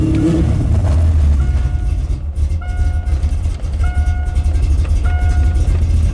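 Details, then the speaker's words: Carbureted engine with electric choke warming after cold start, just before the pedal is tapped to drop off fast idle: deep, steady rumble at raised fast idle evening out; afterward idles slightly lean; normal choke-assisted cold start. "we're going to tap it now to get it off a fast"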